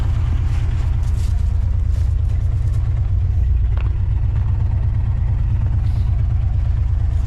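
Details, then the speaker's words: 1964 Oldsmobile 98, revived after years sitting, first idle: deep, loud, blatty unmuffled rumble; owner suspects blown-out mufflers, unconfirmed. "that sounds like a bunch of blown out Mufflers is what it sounds like"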